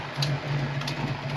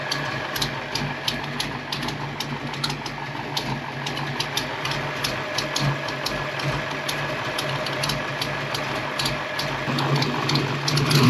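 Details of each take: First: Ford Fox-body Mustang V8 with swapped MAF meters and an old computer, idling with a steady low rumble and faint puffing, ticking edge from an exhaust leak; idles well otherwise. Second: Cammed V8 Foxbody Mustang on its old computer after MAF swaps: steady lopey idle, even and settled, with a faint exhaust-leak tick; idle could be raised slightly.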